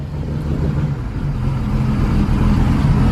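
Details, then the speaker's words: 1999 Regal 1800 SLR ski boat, 4.3 GL V6 MerCruiser inboard, sitting 12 months, first start on a new battery: steady, even low rumble with no knocks or misses; idling smoothly and sounding healthy. "but it sounds okay"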